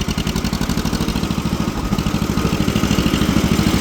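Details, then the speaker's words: Old two-cylinder tractor parked for years, driving in third gear: uneven, lumpy beat with unsteady firing pulses; running funky, carburetor needs cleaning. "Little funky. Definitely going to need carburetor clean."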